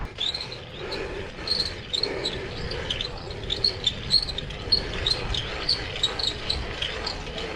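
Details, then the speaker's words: Brompton folding bike, Sturmey-Archer rear hub squealing about three weeks after a shop rebuild; sharp chirping squeal repeats roughly every half second with wheel rotation over light road noise while riding on the road. "Yeah, that noise. It started making that screeching noise, which is embarrassing for a Brompton to be making when you're riding down the road and your bike's making a squealing noise."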